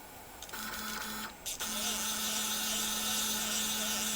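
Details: WorkBee/Sable2015 CNC upgraded to a MACH3 parallel-port 4-axis TB6600 stepper driver board, X axis jogged in continuous mode with a wireless MPG hand controller: clean steady stepper whine, stable pitch, brief pauses, no grinding or skipping; healthy motion.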